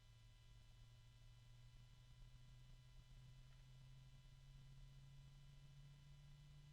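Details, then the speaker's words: Arctic PC case fan running: low steady hum with thin ringing, medium-toned almost metallic whine present from start; unexpectedly noisy fan, louder than the Noctua compared. "it's noisy from the start there's an odd noise that I did not expect to hear it's a medium tone almost metallic"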